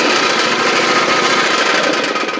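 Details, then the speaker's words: John Deere LA130 with swapped-in Briggs V-twin engine, few hundred hours less than original, no oil leaks, fresh oil: steady even drone with no misses, knocks or hunting; running healthy after repair. "it doesn't have any oil leaks and it actually has a few hundred hours less than the one that was on it runs just as good"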